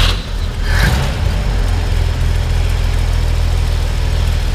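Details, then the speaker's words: 1959 Chevrolet Model 1305 with split manifolds and dual exhaust, cold start on choke: catches and settles into a steady, even low idle with no knocks or misses, rising and falling as the choke is moved; normal cold idle. "You know, the choke works. Go ahead and just turn the choke down just a little bit so they can hear it go up and down. You can hear the choke."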